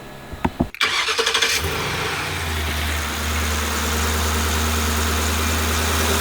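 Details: Old van after replacing a bent transmission part that had caused grinding: brief starter whir, catches within a second, then steady, even idle with no clunks or rattles; normal start.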